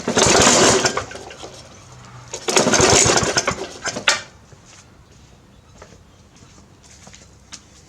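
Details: Briggs 350 Classic lawn mower after fitting its missing governor springs: small engine revs up hard, drops away, then surges again in uneven waves every couple of seconds; still hunting, and a cracked gas tank was later found.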